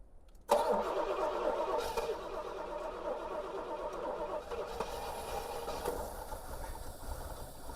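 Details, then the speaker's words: 1973 Pontiac LeMans, first start since 1989 (30+ years) once spark and fuel were restored: catches at once and settles into a rough but continuous idle. "I'm surprised it even idled."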